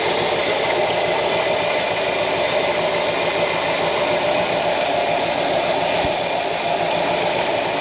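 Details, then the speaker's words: 1966 Ford F100 "Little Blue" 351 Windsor after a big vacuum leak was fixed: a constant high, thin squeal over a steady idle without pitch change, judged to be the drive belt; the alternator is loosely mounted and wiggly. "Yeah, that squeal must just be the belt. Yeah, it makes sense."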